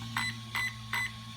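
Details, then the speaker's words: HobbyWing EZRun SC8 RTR 120A ESC in a JLB Cheetah, programmed via onboard button: three short high beeps about 0.4 s apart over a steady low hum, showing low-voltage cutoff option three. "three beeps column three push it again four beeps column four"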